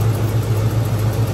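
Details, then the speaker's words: 1996 Ford F150 idling after new spark plugs, wires, distributor cap and rotor: engine still vibrating and shaking with an uneven, lumpy idle and a steady miss; cause of the misfire still unknown. "here the way that motor still vibrating and shaking around I'd say we still got a problem"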